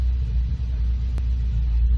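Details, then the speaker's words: 2014 Ford Focus ST 2.0 EcoBoost at cold start: deep uneven idle rumble with slight lope and pops; live misfire counts high on cylinders 2 and 4 while 1 and 3 are fine; cold-start misfire. "Hear it? Hear those pops like that? That's that misfiring. You don't even need a scan tool."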